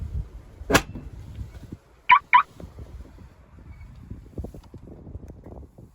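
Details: Samsung washer dryer with a dE error: the program won't start and the door lock doesn't lock; a click, then two short high beeps close together flag the door lock fault.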